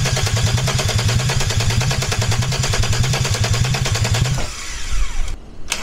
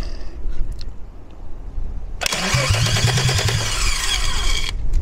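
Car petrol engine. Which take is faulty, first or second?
first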